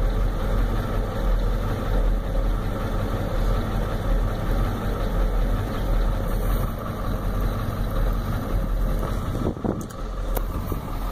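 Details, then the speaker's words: 1993 Ford F-250 7.3L IDI diesel, warm, new injectors, O-rings, return lines, glow plugs tested, injection pump untouched: lumpy rough idle shaking badly, good compression, no oil burning; owner suspects injectors or injection pump. "it's got good compression don't burn oil it's really shaking bad as you can see the whole cell phone I got a shake"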